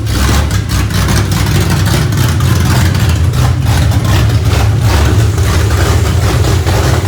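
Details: 2004 New Edge Ford Mustang V8 running again, recorded on a phone mic: a choppy, loping idle with a deep, uneven exhaust rumble swelling on blips, typical of a big cam, with no obvious misfire.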